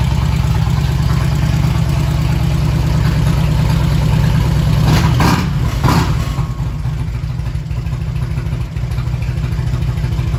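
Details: 1999 Harley-Davidson after fuel pump replacement and reseating a loose inline-fuse connection: deep, loping V-twin idle with an uneven potato-potato beat, steady and settling; fired up cleanly, normal idle.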